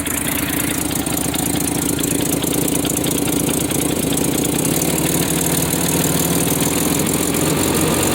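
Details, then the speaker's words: 1993 Nissan Pathfinder 4x4, 5-speed manual, 205,000 miles, idling in neutral: fast, uneven ticking puff riding on the engine beat, steady throughout; exhaust manifold leak. Earlier loud belt-area noise could not be reproduced. "The exhaust manifold has a noise, but I could not duplicate that noise that got this guy motivated to sell this."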